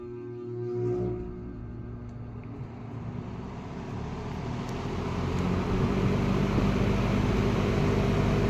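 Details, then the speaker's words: Late-1960s McGraw-Edison Eskimo 3-speed all-metal box fan starting up on high speed: low steady hum swelling into a loud, even, roaring air rush as the blades come up to speed; healthy startup. "Now, this thing absolutely has a has an absolutely roaring startup sound on high speed."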